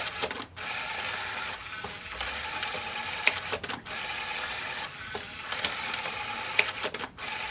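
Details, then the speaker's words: RCA CD stereo bought at auction, disc spins up but won't read, opened up for diagnosis: whirring motor bursts with clicks every few seconds as the changer keeps cycling, hunting for a disc and never settling. "Going through looking for a disc."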